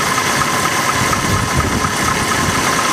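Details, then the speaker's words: 1991 Mercury Grand Marquis after 1 qt Marvel Mystery Oil with 20W50 and new filter to clear sludge: steady, fairly smooth idle with faint light ticking over the hum; small leftover noise, improved from before. "I can still hear a little bit of noise, but it's not very much. And it seems to be running smoothly, at least a little more smoothly than it was before."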